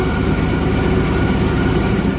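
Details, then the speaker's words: 1964 EH Holden Ute after fuel tank and fuel delivery blockage work, lines primed: steady, even low idle with no stumbling or surging; enough fuel reaching the engine though the filter bulb does not fill completely; normal idle. "So, now it's running. You can see there is a little bit of fuel coming in. So, the lines are primed and there's enough fuel coming in to keep the motor running."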